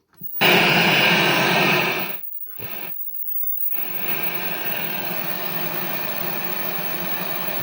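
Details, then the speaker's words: 1978 Pye CT450 (Philips G11 chassis) colour TV, first switch-on after mains power switch replacement: loud surge then steady high-pitched buzz, no crackles now; the buzz is normal for the G11. "No crackles now. If you're wondering what that buzz is, yep, this is a Philips G11, so that's what the buzz is. Yeah, they just make that noise, so."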